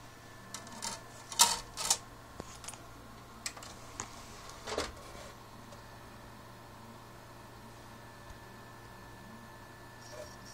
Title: Xbox 360 makes weird noise and wont read discs